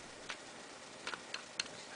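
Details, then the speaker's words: RCA 87T tube radio (labeled 87X) on a variac, chassis out, a leaky electrolytic capacitor: knife touched to phono input terminals gives sharp scattered crackles through the speaker; phono input and audio stage responding normally. "you get a crackle so this is negative this is shield this is negative this is hot"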